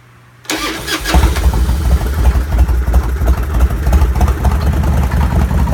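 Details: Evo engine cranked by the starter, then settles into a rough, lumpy idle with an uneven deep knock; engine later opened up and found badly damaged internally.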